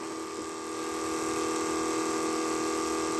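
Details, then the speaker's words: 1980 Trans Am nitrous fuel system: electric fuel pump with a steady even hum and clear whine near 300 Hz and 1 kHz, running constantly while the pressure adjustment is backed out and pressure drops; pump sounds normal. "But when I turn this, I back that out. See, I don't know if it'll go any lower or not. Let's check."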